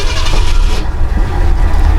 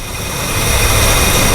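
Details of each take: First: Mercury with 390 Ford FE V8, sat 15 years, brake booster diaphragm rotted with no vacuum filter. Deep, uneven, loping idle with a faint sucking hiss, smoothing when the line is pinched: vacuum leak through the brake booster, leaning cylinders 4 and 5. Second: 1968/69 Mercury with 390 Ford FE V8 at idle, vacuum line pinched off with pliers: the idle steadies and evens out; a leak through the rotted power brake booster diaphragm was leaning cylinders 4 and 5.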